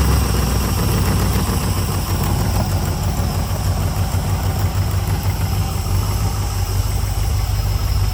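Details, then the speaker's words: 2003 LM4 aluminum 5.3L Gen 3 LS V8 on test stand with Holley dual-plane carb intake, fuel in the bowls, idle cranked back up: deep, steady burble with even firing pulses, no ticks or knocks; tone preferred over Flowmaster; smooth, healthy carbureted idle. "Yeah, I really like this tone. It sounds way better than the Flowmaster."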